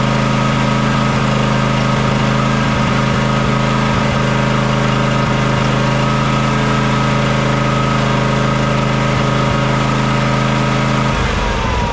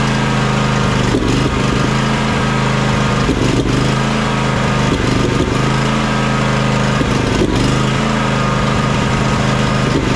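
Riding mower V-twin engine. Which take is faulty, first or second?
first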